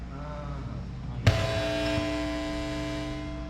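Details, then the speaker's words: A church powered speaker pops, then gives a loud, steady hum and buzz with its volume only at the flat mid setting; some noise is normal, but not this much. "É normal ter esse ruído, não nessa quantidade."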